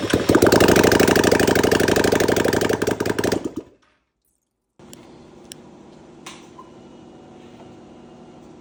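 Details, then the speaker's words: 2020 Can-Am Outlander 570 crank-no-start, after new piston rings and gaskets; ignition wires swapped because it sparked at wrong time; catches immediately, runs with quick even beat few seconds then shuts off: normal start and idle. "So we go ahead and swap those wires around, because why not? Starts right up."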